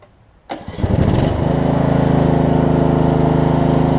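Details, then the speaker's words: Snapper RER mower, Briggs Intek single-cylinder, after replacing the camshaft and automatic compression release, hot restart after about 15 minutes of running: brief cranking, catches within a second, even beat with no knocking. It still backfires sometimes. "let's uh crank it back up while it's hot and see if it'll restart for us"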